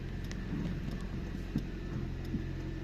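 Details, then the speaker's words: Nissan Micra K11 (1994-2002) idling in neutral right after a fuel filter replacement; it started quickly. Steady, quiet low hum with no stumbles or misses. It feels a bit better, though it may run oddly while the line refills. Normal idle. "Well, that was good then. It does feel a bit better actually."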